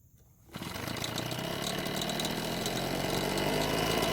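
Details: Husqvarna backpack blower that wouldn't start after long-term storage, now repaired with a new throttle cable retainer and air filter, carb checked for leaks. Catches and runs a smooth, steady, buzzy two-stroke note without stumbling; healthy.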